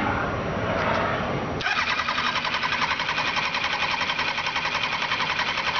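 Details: 2002 Kawasaki Ninja ZX9R: the starter spins the engine in a fast, even cranking rhythm for several seconds, but it never catches. Cranks but won't start; cause not confirmed.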